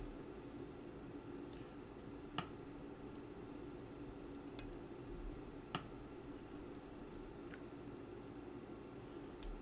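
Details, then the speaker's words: 1964 Roberts R-300 transistor radio under repair: sparse sharp clicks and crackles over steady hiss and hum when the band switch is turned; noisy switching, cause not yet found. "So, when I change the band switch, it's um making a noise now. Can you hear that?"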